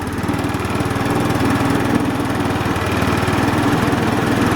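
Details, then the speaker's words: Linhai Aeolus 260 scooter, a previous no-start with no spark, now running after starter-system troubleshooting and parts replacement, started with starting fluid and fresh gas. Steady, even single-cylinder putter at about four beats a second with no misses or knocks: normal idle. Carburetion issues still to address. "put a little starting fluid in there put some gas in the gas tank holy moly listen to that"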